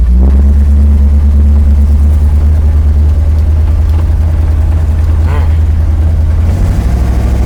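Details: 1979 Chevrolet Camaro automatic, test drive after replacing the modulator and freeing a suspected stuck governor: engine drones at steady pitch with no drop in revs, and the transmission still won't upshift out of first.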